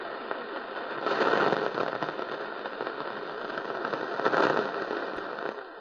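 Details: Panasonic RF-973 portable radio, evening medium-wave scan at the bottom of the AM band in bass mode: irregular bursts of sharp crackling rise and fade over faint hiss, static from distant lightning.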